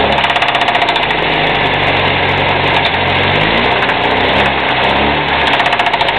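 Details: UZAM 1.5 engine at steady idle with a fast, regular tapping that keeps pace with the revs; knock of unknown origin.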